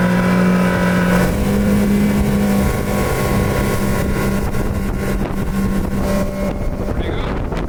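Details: Speedboat outboard on test run just after being fixed by a mechanic following two breakdowns: strong steady drone holding even pitch under wind noise, no stumbling or sputter; runs clean.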